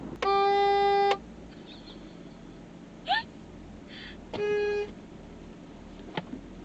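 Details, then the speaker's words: PT Cruiser with aftermarket replacement horn fitted because the original didn't work, heard from outside: two loud steady blasts, about a second then half a second, strong clear tone; new horn healthy and louder than the original. "that's louder than your other horn ever ever was"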